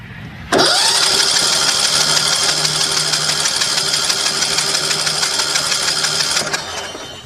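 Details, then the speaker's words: Sears Craftsman YT3000 with 21 hp Briggs & Stratton Intek single-cylinder, suspected bad cam/compression release, cranking with spark plug removed: starter spins engine fast and even for six seconds, no drag. "I'm going to go get a wrench to take the spark plug out of it and then we'll see how it spins over."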